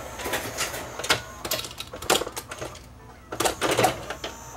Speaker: let's plug it back in Power It Up and see whether it will load my laser disc this time